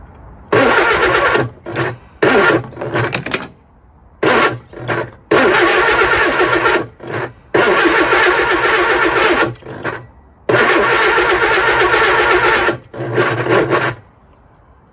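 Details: Lotus Elan first start after 3 years off the road, with weak spark and plugs not very wet; several cranking bursts of a few seconds each, starter turning steadily but the engine never catches; the distributor timing is suspected as the problem.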